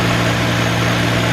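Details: 2003 Nissan Maxima GLE 3.5 V6 first start after partial engine rebuild and new cat: steady, even low idle with smooth firing rhythm, no knocks or misses; some smoke and a possible small muffler hole noted.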